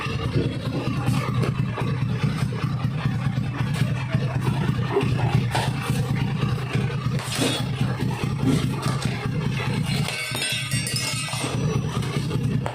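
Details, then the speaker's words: Honda Beat carburetor scooter after fixing rattling CVT noise by refitting CVT cover support boss: even low drone from belt drive while revving, no rattle; transmission now healthy. "untuk kondisinya sekarang dia tidak berisik ya berarti penghafalan yang menggunakan metode tadi ini berhasil ya teman-teman"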